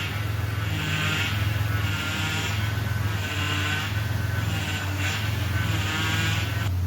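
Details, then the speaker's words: Chevy Impala at idle, stationary, wheel turned back and forth to bleed the power steering: steady whine swells in waves with the steering; air still in the system. "so all i'm doing is turning the wheel i'm sure you guys can still hear the noise"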